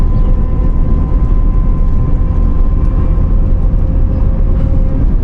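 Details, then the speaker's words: Supercharged Corvette launched hard: a steady high whine rides over the engine roar under throttle and stops when the throttle is released; owner likens it to the supercharger, cause unconfirmed. "Hear that? Sounds like my supercharger. And then when I let go, it stops."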